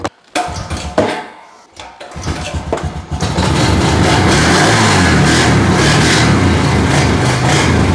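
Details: 2004 Honda TRX 350 ATV pull-started with choke after the starter only clicked: a few pulls and coughs, then it catches and settles into a steady, even idle; starts and runs fine.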